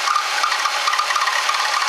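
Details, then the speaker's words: Ford Taurus with suspected blown head gasket, idling and overheating, coolant bubbling from overflow bottle: rough rasping chirp from drive belt slipping, wet with coolant splashing from the bottle. "That noise is the belt. It's got water on it, splashing out the bottle."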